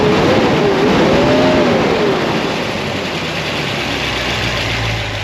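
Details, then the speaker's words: 1976 Corvette V8 after fixing binding roller rocker trunnions, still cold (gauge just over 100°): revs up cleanly and drops back to a smooth idle with only faint valve chatter. There is no longer a loud racket; the valvetrain sounds healthy. "nah man it's not supposed to make a loud racket this sounds way better it's still not even warmed up"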